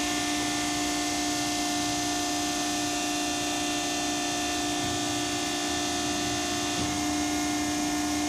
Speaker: you'll want to origin the gauge, and when you're doing this you can hear it in the back.